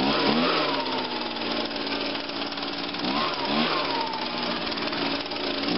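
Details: 2009 Echo PB 251 two-stroke blower on a cold start, with choke on and five primes; it usually starts in two or three pulls. A sharp, high buzz with quick throttle blips and pitch swings runs cleanly and evenly, which means normal running.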